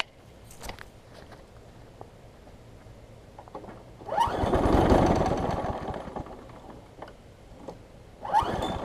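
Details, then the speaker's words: Craftsman 6 hp big-wheel front-drive self-propelled mower, new pull rope fitted, primed: repeated pull-cord rips, one long pull coughing briefly but never catching; owner suspects it's getting a lot of gas; won't start. "acting like it's getting a lot of gas I'm going to cycle it a few times maybe maybe there's just a bunch of gas in the shape"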